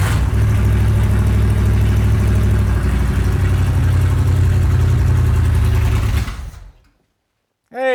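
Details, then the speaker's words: 1968 Chevelle barn find stored about forty years, carburetor suspected not working, little fuel in tank: lumpy, hunting low idle for about six seconds then fades and dies; fuel starvation suspected, not confirmed. "Kind of runs. It died at the end there. But it got going a little bit."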